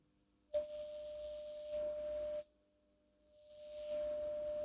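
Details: Graetz Baroness 610 tube radio after selenium rectifier replacement, during AM/shortwave alignment (460 kHz IF; 7 MHz coil L137 peaked): a clear, steady single-pitch test tone stands strongly above the hiss, receiver correctly peaked on the test signal.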